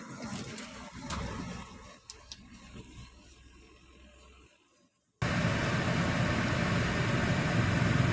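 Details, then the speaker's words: Nissan Dayz Roox after replacing blown check-light fuse that caused intermittent push-start switch and no start; after a quiet spell engine starts and holds smooth steady idle, no misses or knocks. "यह गाड़ी start हो गई है माशाला हमारा मसला भी हल हो गया है"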